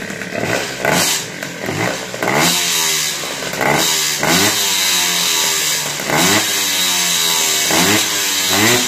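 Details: Tomos 65 cc two-stroke moped on its stand, warming up with a newly fitted aftermarket air filter replacing the lost original, before delivery; sharp buzz sweeping up and down in repeated throttle blips, clean pickup, no misfire (a vibrating spring rattled earlier): healthy revving.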